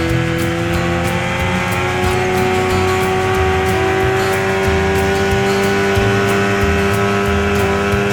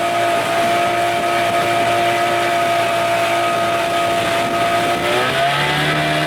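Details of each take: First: 1989 Evinrude 25 hp longshaft remote outboard, carburetor swapped, prop suspected spinning out while trying to plane; steady high drone with fast irregular rattle and flutter, an odd new running noise, source unclear. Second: 1989 Evinrude 25 hp longshaft remote two-stroke outboard after a carburetor swap, wide open on a windy lake, slow with the canopy possibly holding the boat back: steady high drone, then a clean pitch drop as the throttle closes; it runs well.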